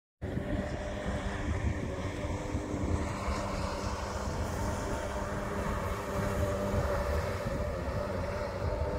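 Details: Yamaha XL 800 two-stroke personal watercraft water test after rebuild: continuous even engine drone with water and wind rush, no knocks or surging; normal running.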